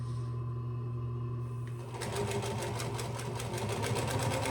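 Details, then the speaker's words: Singer 112W115 industrial sewing machine after a bobbin tension tune-up, sewing 4 to 8 layers: low motor hum, then an even, rapid stitch rhythm of about five per second; it punches through cleanly, with one skipped stitch at a seam. "Probably 8 layers, but let's just see what happens. Go through it with ease."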